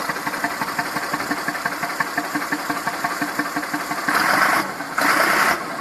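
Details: Massey Ferguson 2645 tractor, Perkins 6-cylinder diesel, owner claims rebuilt 100 hours ago: idle chuffing beat that keeps stumbling, lumpy exhaust note, possibly a weak cylinder; suspected not properly closing exhaust valve and low compression, unconfirmed; little PCV blowby.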